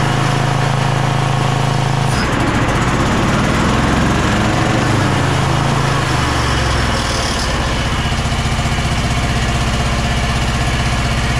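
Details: Bad Boy zero-turn mower with Kohler 7000 series KT745-3013 twin: after about 20 minutes of running, low uneven running that sags with no crisp pickup, losing all power. Fuel flow is good and clear; the fault was failing ignition coils.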